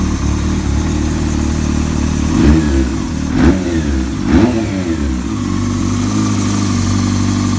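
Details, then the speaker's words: Honda CBR600 F4i (2000) inline-four after rebuild with fabricated rod and main bearings, 11.9:1 compression, in break-in, air filter not yet fitted. Steady idle with three quick throttle blips rising cleanly and settling evenly; engine sounds strong and healthy. "El motor suena bien gordo, quinaros nuevos, que se van a ver seguramente en este video o en la parte principal de este video."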